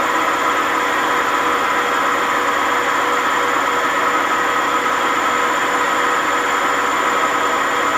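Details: Washing machine WMA50 high-speed spin without ballast: loud, constant roaring rumble with rough whine from very bad drum bearing noise.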